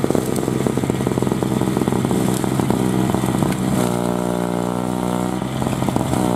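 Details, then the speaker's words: 2003 Murray single-stage two-stroke snowblower, unrun for 5 years (previously leaked gas), fired on first pull after priming; high buzzy drone holding steady while clearing snow under load, revved to test torque; normal healthy running. "will it run yeah she's a runner fortunately man you got to love those two strokes don't run for 5 years two PS and uh after I primed it it was one pole and just fired right off with no issue"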